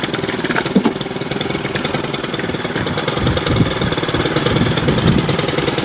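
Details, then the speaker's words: Brand new Stihl FS91R two-stroke string trimmer, primed and started on first pull; slow, slightly uneven lazy burble at idle that won't keep running, idle set a little too low. "You know, it's got fuel, and start the first pull. Idle's a little low, but"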